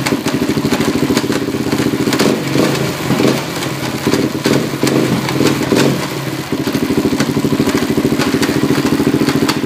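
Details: Four-wheeler (quad) running: uneven clatter and occasional thumps over the steady drone, a weird noise mainly in second gear; cause unknown.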